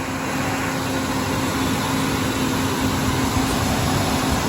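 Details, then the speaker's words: Ford Ranger after resealing the fuel rail to lower intake spacer gasket for P0171/P0174 lean codes, first start warming up: steady even idle, no knocks, ticks or stumbles, no fuel smell; normal idle. "I don't hear any major problems. I'm not smelling any fuel leaks. Sounds like the spark for the wires put on correctly."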